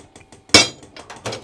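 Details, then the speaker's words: Diesel heater installed in a shed and fed from a 5-gallon tank, with the dosing pump priming in PR mode (owner assumes it pumps about 500 times rapidly to fill the lines): quick even ticks, about six a second, under one loud metallic clank. Normal priming. "I'm going to assume that's like a priming mode where it will pump it 500 times rapidly to get diesel in the lines."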